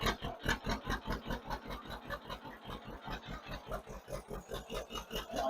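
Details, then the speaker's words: 1958 John Deere 530 two-cylinder with a freshly rebuilt carburetor, after an idle stop adjustment. A slow, even putt-putt at roughly two and a half pulses a second with no misfires or surging: normal, steady idle. ">> Okay, we're going to be real happy with our idle right there, I think."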